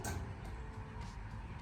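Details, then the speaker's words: Garage door after fitting new Dura-Lift nylon rollers and cleaning the rails: door travels with a soft even low rumble, no squeaks, scraping or rattles; smooth, quieter and cleaner; normal garage door operation. "At least it's already done and smooth and quieter and cleaner. It will last longer."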